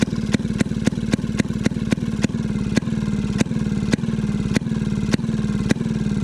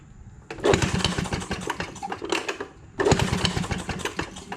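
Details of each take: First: Maytag 92 hit-and-miss engine after off-camera adjustment, later found to have been getting too much fuel: sharp firing pops about twice a second over a steady coasting chug. Yesterday's squeak has quieted a lot. Normal running. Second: Maytag 92 hit-and-miss engine: two short firing bursts, each dying after about two seconds. Fuel is reaching it and vacuum is not thought to be an issue; the owner suspects weak spark because the ignition points are visibly off center.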